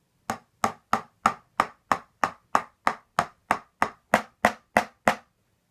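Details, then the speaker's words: Rock Band 4 warranty replacement drum set, red pad: sharp strikes about three per second each trailing a brief buzzy rattle; adjustments failed to stop it, cause not found. "I tried messing with it I can't quite get the red pad to not make that ratalie sound so I might be sticking with the original peeling set"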